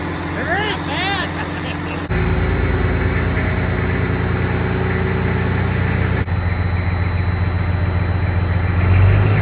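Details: Freshly rebuilt 12.7 L Detroit Series 60 diesel in a truck, after electronic runaway traced to possible moisture arcing harness pin connectors and cleaned: deep steady rumble holding an even beat, rising slightly near the end. Normal idle.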